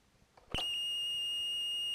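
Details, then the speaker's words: Commodore 1530 datasette played through a PET: click then steady, unbroken high-pitched tone with no wavering or dropouts; normal lead-in tone before the file header, heard before head azimuth adjustment. "that's the lead in tone that's the file header just the name of the file"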